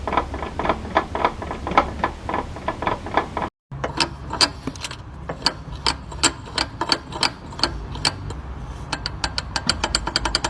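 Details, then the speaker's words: Damaged outer CV joint, typically after a torn boot lets in water and loses grease: sharp dry clicking in quick repeating runs while the steering wheel is turned. CV joint clicking. "Y como este elemento permite la redirección del giro dependiendo al giro de las llantas, cuando está dañado, suele crujir cuando gira el volante. Se puede escuchar algo así."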